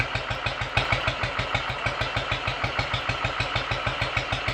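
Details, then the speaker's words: Royal Enfield 500 after top-end rebuild with shortened barrel, exhaust cam advanced one tooth, ignition timing, throttle stop and mixture adjusted; warm, kickstarted without throttle: slow even single-cylinder thump, smooth, quiet and steady; normal warm idle. "it is very nice and smoothly and quietly and steadily"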